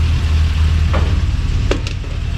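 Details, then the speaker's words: Engine in the Subaru Brat after water pump bolt repair, warming to open thermostat; low steady idle rumble, smooth and quiet with a tiny bit of lifter tick and one clunk; normal idle. "Thing sounds so good. We've never had one that ran that quiet."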